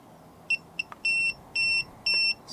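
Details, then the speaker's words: Guta RV TPMS monitor just after pairing its sensors: a couple of short chirps, then evenly spaced high beeps about a quarter second long. Sensors are not yet on the tires, so it reads no psi and alarms. "so it's going off on an alarm because i don't have them attached to the tire so it's thinking that uh there's no psi an"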